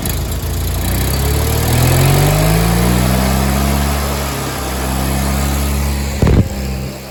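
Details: Miller Bobcat 225G welder-generator, idle for years, after starter solenoid, ignition pickup, alternator and fuel pump work and an oil and fuel line change: even drone, brief rise and settle, no knocks or misses while generating; runs fine, idle possibly low, slow to warm.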